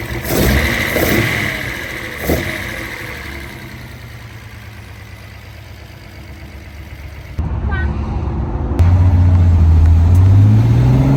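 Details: Test drive after rebuilding the Solex Mikuni Type R carburetors with new gaskets and an extra throttle return spring; engine pulls cleanly through the revs under load with a smooth rising tone; no stumbling, no throttle hang; success.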